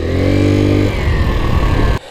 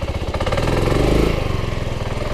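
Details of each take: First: 1984 Yamaha Riva 180 scooter after cleaning and rebuild. It runs briefly at steady revs, then sags and stumbles and cuts out after about two seconds. Owner feels it needs a new air filter; cause not confirmed. Stalling tendency. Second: 1984 Yamaha Riva 180 scooter after cleaning and rebuild: uneven cranking chuffs, then it catches and settles into a steady idle on its own. It runs fine, though it still needs a new air filter and tends to want to die when the handlebar is turned.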